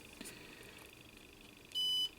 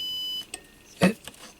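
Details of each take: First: Two clean high-pitched continuity-tester beeps over quiet background: switch contacts checking fine while repairing an MFJ-994BRT 600 W automatic antenna tuner that fails with its bias tee connected (high SWR). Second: MFJ-994BRT 600 W PEP automatic antenna tuner that works alone but fails with its bias-T connected: a steady continuity tone stops, then probe clicks follow. Weird ground connection found at the antenna socket, which should be isolated; a wire seems to touch the copper.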